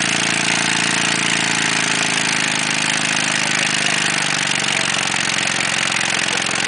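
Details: Ford Taurus engine running with no oil in the pan until it seized and stalled: a hard, rapid metallic rod knock over a loud, clattery top end.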